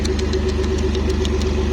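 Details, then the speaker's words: BMW E46 coupe converted from 320Ci to 3-liter 330Ci with manual Getrag 220 gearbox, test start before drive: loud, boomy idle with a steady rapid pulsing puff over a deep drone, because the exhaust is not fully connected yet. "The exhaust is not fully connected yet."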